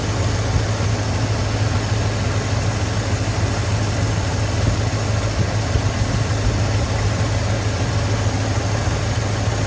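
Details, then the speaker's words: 1983 Ford F250 with carbureted 460 V8, started after fuel filter fitted and priming, accelerator pump leak noted: deep, steady burble at an even low idle, no stumbles, misses or knocking; normal idle. "But it did fire up, and that was great."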